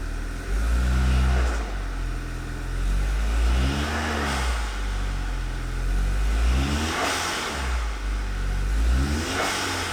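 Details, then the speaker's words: VW Scirocco 2.0 TSI first start after engine knock repair: revs held up and rising and falling smoothly about every two seconds, no knocking or clatter; running cleanly. "just keeping the revs up just for a couple of seconds"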